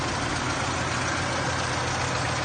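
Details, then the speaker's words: 1991 Mazda 1300 five-speed, engine just started: quiet, even idle with a steady low hum and no knocks, misses or rattles; normal smooth idle. "นี่คือเครื่องติดแล้วนะครับเงียบจิดเลยนะฮะเครื่องติดแล้วนะ"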